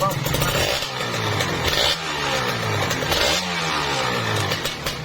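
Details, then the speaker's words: Kawasaki Ninja RR two-stroke with a whitened bore, after repair: crisp blips rise and fall cleanly with no clatter as the revs drop, tight and healthy; radiator normal. "Ini nggak ada halus, ini padat, mantap ya. Mantap, halus, tinggal setel kit mungkin nanti ya."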